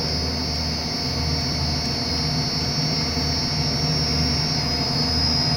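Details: HVAC chiller plant secondary pump, checked for bellows noise when switching on and off, after tightening a loose bellows bolt: steady even roar with constant high whine and no clanking or banging; sounds normal.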